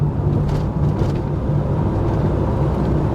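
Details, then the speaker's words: VW T5.1 Transporter with about 220,000 miles, road test after repair of a speed-dependent noise: steady, even low road rumble with no hum or growl building with speed; normal wheel bearing, drives well. "yeah nice drives very well this 220 odd th000 miles it drives really"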